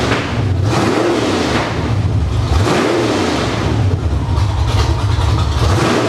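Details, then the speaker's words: Summit Racing 1107-cammed 305 small-block Chevy on test stand, idle tuned to about 750–800 rpm; choppy cammed lope at idle, then clean rising revs falling back, deep and rowdy; normal idle and revving. "I got the tuning done on it. Got it where I like it. Got it idle down to around 800 or 750, 800 RPM. Doesn't sound too awful bad."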